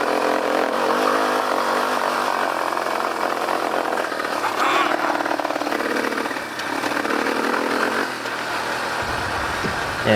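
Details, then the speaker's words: Yamaha Warrior 350 ATV single-cylinder; revs never climb past a low cap and keep stuttering; safety rev limiter engaged by faulty parking brake sensor or clutch switch, owner unsure which. "When the parking brake is on, it limits the revs, so it won't go fast. And I have a couple videos of what this sounds like because of me trying to ride it."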